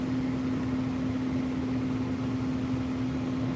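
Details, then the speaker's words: Residential HVAC inspection: blower hums at steady even pitch with airflow noise, no rubbing or rattle, then shuts off after a short delay once thermostat is turned off; normal fan-off delay, though thermostat display is blank. "Okay, it just shut off. Okay. And got a little delay on there."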